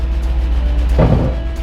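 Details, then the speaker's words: Barn-find 1977 Toyota Celica at first start in 20 years, handbrake on; deep engine rumble with a sudden loud low roar for about a quarter second before settling, source unknown. "i don't know what that sound was but that was terrifying"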